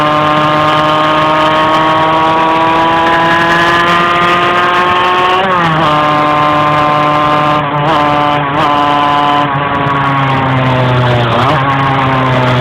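Steady engine drone whose pitch barely climbs, with brief dips and stumbles every second or two; it hesitates under load.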